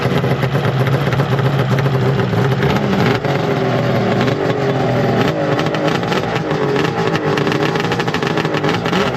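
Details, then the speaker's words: Slightly rusty pull-start two-stroke snowmobile with triple pipes: a crisp buzz with repeated clean throttle blips rising and falling, no misses or rattles. Healthy, free-revving engine with no leaks. "All right, we got to hear it. We got Oh, yeah. She sounds nice. Wish electric start."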